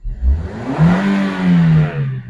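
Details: 2019 Toyota Vios revved after installing the fuel regulator/fuel pump and its wiring, checking for leaks. It started in one click and picks up cleanly from idle, rising and falling without stumble; runs healthy.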